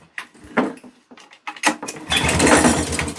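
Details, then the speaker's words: American-spec Flymo with Suzuki two-stroke engine, bought at auction, on choke, air filter possibly missing: a few rasping pulls, then a short ragged burst of firing that dies. Fires briefly but won't keep running; cause unconfirmed. "Oh, I don't believe it. She just tried to go, didn't it? Did that just try and go there? I thought I just heard a fart."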